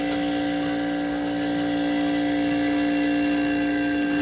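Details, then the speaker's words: Vintage Gibson Air Sweep 6,000 BTU room air conditioner, possibly 1980, thermostat cheated with a heater: the compressor starts with a steady, even mid-pitched hum and no rattles or knocks. Normal compressor running. "so i'm going to go for the compressor and we're gonna fire it up actually sounds pretty good"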